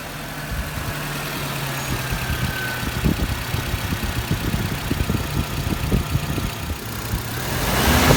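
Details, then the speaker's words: Suzuki Jimny started after replacing the fan belt and power-steering belt, which had been squeaking and slipping. Belts tensioned to 6–9 mm deflection, bolts at 25 Nm. Steady idle with no squeal or chirp, revs lifting slightly; normal idle, belts quiet. "that's all sounding pretty tidy"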